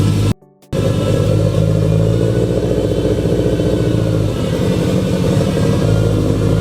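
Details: Freshly built Subaru engine on first start, 92–96 psi oil pressure: loud, lumpy low rumble wavering at steady throttle; runs rough, needs a tune, smoke burning off.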